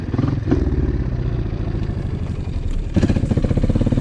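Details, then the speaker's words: Four-stroke dirt bike with carburetor jetting too lean: single-cylinder throbs flutter and revs stumble, bogging and dying as the throttle opens, worse with quicker twists, until throttle eases. Lean bog. "Where on the flip side, a lean jetting sound is going to be like a bogging, dying sound. So, it sounds like you're hitting the kill switch and it doesn't accelerate until you let off the throttle a little bit, or sometimes it gets over it."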